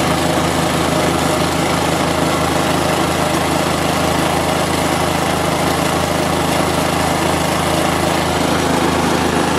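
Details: Store-bought plate compactor with an unknown Chinese Honda GX160-copy engine that had been starting then dying, now fitted with a new spark plug and plug cap: steady, even putter with no misfires or surging; runs smoothly.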